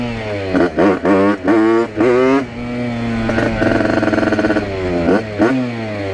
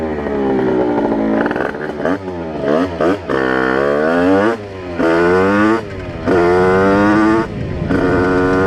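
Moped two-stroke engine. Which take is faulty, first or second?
first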